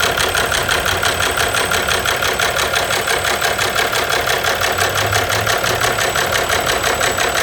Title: Ненормальный стук двигателя